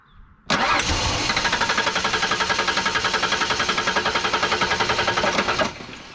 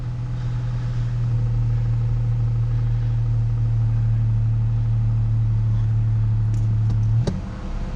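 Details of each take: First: Ford Ranger (Ranger/Bronco/Explorer family) with key on in neutral cranks steadily at about four compression pulses a second for five seconds but never catches; spark confirmed, no fuel delivered; cause a tripped fuel pump inertia switch. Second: Truck with a fuel-delivery no-start, fixed by temporarily jumpering the fuel pump inertia switch: steady even low hum at idle with no stumble or misfire. Third start in a row with no problem, and it idles normally.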